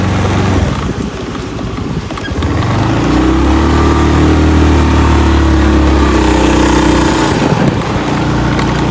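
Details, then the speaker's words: Honda BeAT FI scooter road test on a slight uphill after replacing CVT plates; previously noisy uphill, on flat road and when accelerating: steady, smooth drone through acceleration, no rattle or grinding; noise gone. "Tidak ada noise-nya udah hilang. Biasanya kalau dari keluhan konsumen itu sebelumnya saat jalan menanjak itu ada noise, di jalan biasa juga ada noise, apalagi saat naikkan gas saat akselerasi."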